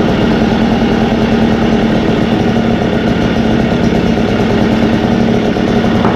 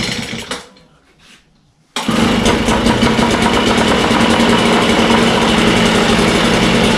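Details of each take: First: Echo blower two-stroke engine after Zama carb replacement and low idle, high and throttle adjustment, at operating temperature: steady, even buzz at constant speed with no surging or stumbling; clean normal running. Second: Echo 403T two-stroke with replacement Zama carburetor: rough, buzzy idle barely above stalling while the low idle screw is turned down to the shut-off point, before backing off a quarter turn.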